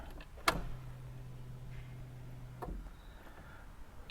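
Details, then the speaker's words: Car that misfired, shook violently and died after a home oil and filter service, now won't start: key-on click, then a steady low electric hum for about two seconds and another click, fuel pump priming normally at the rear; tank half full. "so I know that we got fuel because I filled it up and it's halfway I can hear the pumps priming at the back"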